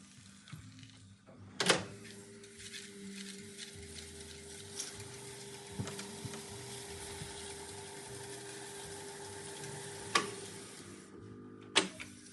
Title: Revox B77 MK2 buzz noise on idle